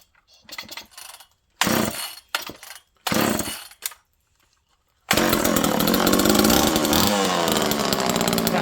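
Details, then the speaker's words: Second old Homelite Super Mini chainsaw in cold weather, jets around half to 1 turn, no choke. After a few pull-start bursts it catches and holds a steady, even high buzz; it runs perfectly. "I'm going to fire this up one more time. This thing runs perfect."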